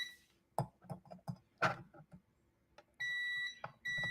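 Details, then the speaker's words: Morningstar Relay Interface, multimeter continuity check of pins for ground with power still connected: two long steady high-pitched beeps with a brief break; false continuity reading on all pins because the circuit was still powered. "Forgot to remove power. Always remove power when you're checking for ground continuity and things like that."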